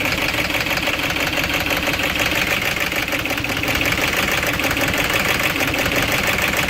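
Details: 2006 Audi A6 4.2 V8 petrol, BAT engine code, chain-driven, 275,000 km, cold idle: busy metallic rattle over uneven, stumbling beat; rattle with misfire, timing chain problem suspected, not confirmed.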